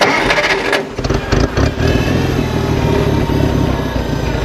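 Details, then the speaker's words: 1966 International Farmall Cub tractor, small four-cylinder, carburetor rebuilt 5-6 years ago: brief crank, then it catches quickly and settles into an even, steady idle; easy, normal start and idle. "I'll start it up here real fast for you, show you that it really starts"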